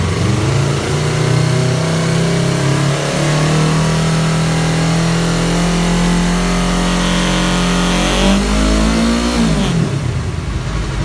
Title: Yamaha R3 buzzing noise at 5500 rpm